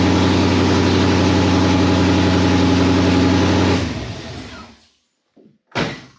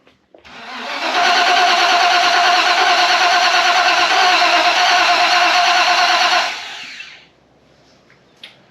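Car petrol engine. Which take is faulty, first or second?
second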